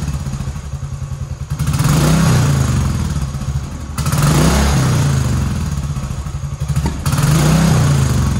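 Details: 2010 Royal Enfield Bullet Electra EFI single, 965 miles, unused for years, running after fresh fuel, replacement battery and fuel leak repair: even thumping idle with three clean throttle blips, a bit smoky but runs nice; normal running.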